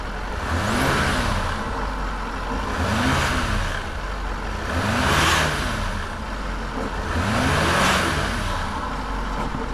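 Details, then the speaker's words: Range Rover L405 that runs rough and chugs when cold, during a throttle body swap: engine revved repeatedly with a wet gurgling from the air intake, felt in both intakes. Cause unclear. "is a gurgling ni a gurling t sound you cly feel get in both of them that's very strange isn't it"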